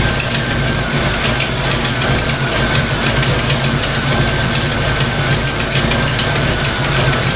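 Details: Fox-body Mustang V8 after a thermostat install, radiator cap off, rough idle with fast, even light clacking from the valve train. Earlier oil-pressure loss and metal shavings; owner suspects stock rockers, not confirmed.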